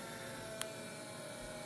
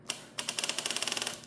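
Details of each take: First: 1984 Kawasaki GPX750 Turbo with an electrical fault (no lights, starter solenoid only clicks, no start): after a single click with the key on, a faint steady electric hum as the fuel pump primes normally in a quiet room. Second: 1984 GPX750 Turbo motorcycle, unstarted about a year, new charged battery fitted: rapid dry solenoid clicking, about a dozen a second, with no crank. Neutral light goes out when the clutch is pulled and the lights drop out with key on; cause unclear.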